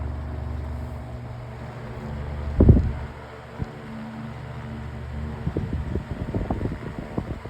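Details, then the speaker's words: Fan after damaged blade replaced and parts swapped, run at speeds one, two and three: smooth, low, even hum with no wobble or rattle beyond a few switch clicks; normal fan running, blade true and balanced. "So, as you can tell, that wasn't that was much better than the last plate."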